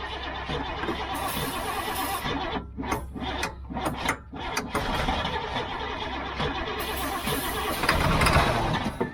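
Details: Old GMC gasoline bucket truck with Holley carburetor problems: starter grinds in uneven bursts, about four turns a second, with choke worked and throttle feathered; fuel reaches the filter but the engine never fires. Cause not confirmed.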